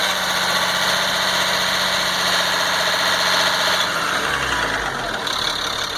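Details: 1998 GMC C8500 with Caterpillar 3116E diesel, after injector O-ring repair: even clatter at fast idle settling lower without stumbling or surging, no miss or flutter, restarts without hesitation; normal running, owner considers it fixed.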